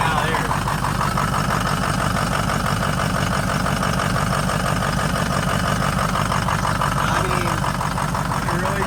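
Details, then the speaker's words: Vehicle driven home running poorly after burnout event: idle with sharp puffing tick in time with engine and slightly uneven beat, no smoke, intercooler seems intact; exhaust leak at a pipe found, with a slight misfire. "We did drive it home, but it was not running good. Doesn't sound good. It's not smoking though."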